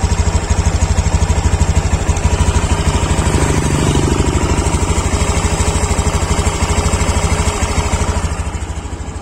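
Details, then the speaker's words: Honda Beat Deluxe scooter idling with the cylinder-head breather hose properly connected: steady, even single-cylinder putter about three beats a second, no knocks or rattles, the normal engine sound for comparison. "Anda bisa dengar sendiri ya, untuk suara mesinnya seperti ini kalau untuk mesin yang normal."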